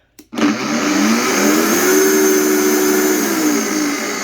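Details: Vitamix E320 Explorian blender on max speed with an empty container: steady high motor whine holding an even pitch, no grinding or rattle; normal operation, empty.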